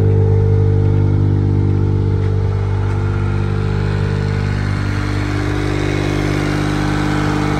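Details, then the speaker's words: Perodua Kancil fitted with MaxxECU standalone ECU, starting after install: engine catches and settles into steady low idle hum with slight rev wander, no knocks; starts and runs properly. "Okey, kita start dulu. Pipang bunyi. Ready lah. Kita dah hidup."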